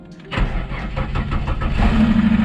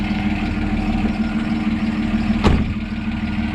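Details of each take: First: Ford Falcon, a neglected car not started for a while, key cycled to prime the fuel pump: short quiet pause, then it catches at once and settles into a steady, rising idle; clean normal start, slight lifter tick and belt squeak noted. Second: Ford Falcon bought cheaply and barely driven, idling with a slight belt squeak noted earlier: a loose, uneven metallic rattle rides on the idle, coming from the exhaust at the rear. Exhaust rattle.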